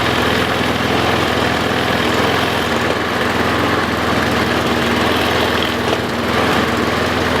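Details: Troy-Bilt self-propelled push mower that had not been running. After a pinched fuel line was straightened and the float bowl refilled, the engine runs with a steady, even buzz at constant speed and no misses, surging or knocking.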